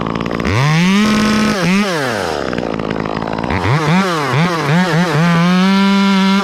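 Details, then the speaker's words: Chainsaw cutting with the tip of the bar, so it is not fully loaded: revs climb and hold smooth, then break into a rapid burbling bark, similar to a 500i. This off-load four-stroking comes from the way these saws are designed. "friends you hear that song when it loads up it sounds like it's supposed to but when I'm using the tip of the barn it's not loaded up completely it does that bark similar to the 500i it's just the way these saws are designed it's just how it is"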